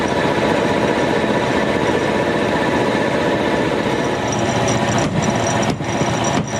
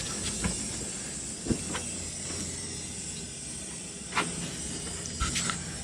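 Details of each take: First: Air compressor after removing bulged fan shrouds that caused an awful metallic noise at the back: steady motor hum with even pumping beat about 100 a minute, no rattle; normal running, pressure building toward about 7 bar. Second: Air compressor for steel trawler deck repair, first run after reconnecting the pressure-switch hose: steady hiss of leaking air with scattered knocks and clunks; owner suspects bent fan shroud hitting pulleys after a fall during the workshop move.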